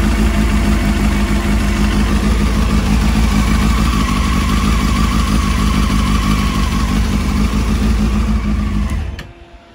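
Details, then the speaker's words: 2007 Honda CBF600 N-6, warm idle after a water pump leak repair with the radiator cap back on: a steady, even idle with a constant whirring fan hum on top. The fan cutting in shows the system is bled and the pump is no longer leaking. "that's it you can hear the birds kicked in temperatures up nice so that's pretty much telling me it's all bled out and there's no more leaks under the water pump"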